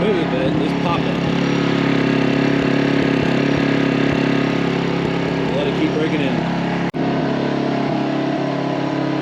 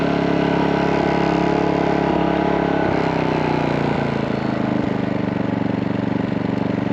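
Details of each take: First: New MaxPeedingRods 3200 W inverter generator, choked, breaking in at full speed inside garage for about 15 minutes: steady full-load drone running smooth with an occasional sharp backfire pop near the end, cause unknown. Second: MaxPeedingRods 3200 W inverter generator, new, after about 15 minutes of full-speed break-in, switched to eco mode: steady, even quiet drone with a slight rhythmic pulse, no knocks or rattles; normal running.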